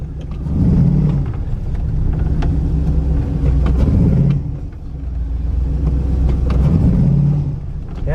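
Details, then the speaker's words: Grand Prix GXP with an LS4 and a 2005 Cadillac DeVille 4T80E transmission on a Holley Terminator X will not shift at all. The engine drones low and heavy under throttle, bogging in the forward gears while reverse pulls fine. "like it doesn't do it it's just like bogging the crap out of it"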